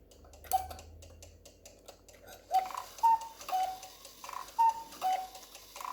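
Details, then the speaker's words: Cuckoo clock movement after the bellows is reattached, run with the pendulum off for easier work: quick, uneven ticking at about two per second, much faster than a proper beat, the escapement running free without the pendulum. "As you can see, the pendulum is going too fast because I haven't got it on. The pendulum is off, so I can work a little bit easier."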